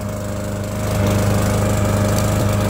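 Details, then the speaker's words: Murray lawnmower after idle was raised by bending the lever forward to add spring tension: steady, even small-engine drone picking up smoothly, no miss, surge or rattle; normal idle. "all I did was bend that lever forward just a little to put a little bit more tension on that spring"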